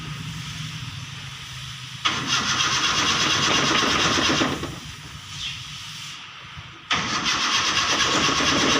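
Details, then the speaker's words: Toyota Kijang being rewired at the alternator, started with manual starter because the key is faulty; starter grinds in steady bursts about two turns a second but engine never catches; ignition coil wire found disconnected, no spark. "Wah ada trouble temen-temen sebentar ternyata kabelnya lepas temen ini kabel itu sibuk ntar ya kabel inisims koil kabel english.you untuk disebut ane lepas ok"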